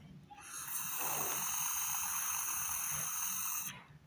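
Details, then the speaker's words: Carburetor of a Honda four-stroke pressure washer engine that would not start: air blown through the gasoline jet rushes freely as a steady breathy hiss for about three seconds, so the fuel jet is clear, not blocked. "ਹੁਣ ਮੈਂ ਇਸਨੂੰ ਇੱਥੇ, gasoline nozzle 'ਤੇ ਉਡਾਉਣ ਜਾ ਰਿਹਾ ਹਾਂ। ਅਤੇ ਜੇਕਰ ਤੁਸੀਂ ਇਸਨੂੰ ਇੱਥੇ ਸੁਣਦੇ ਹੋ, ਤਾਂ ਇਹ ਇਸ ਲਈ ਹੈ ਕਿਉਂਕਿ ਇਹ ਬੇਪਰਦ ਹੈ।"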